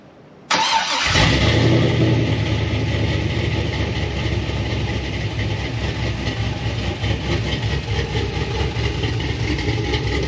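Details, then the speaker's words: Freshly cam-swapped 6.0 V8 Silverado SS (Brian Tooley BTR Stage 4 truck cam) starts quickly into a loud, steady, lumpy, choppy idle with no knocks or misses; O2 sensors reconnected, no check engine light; normal idle. "damn that sounds good huh it feels a lot better too"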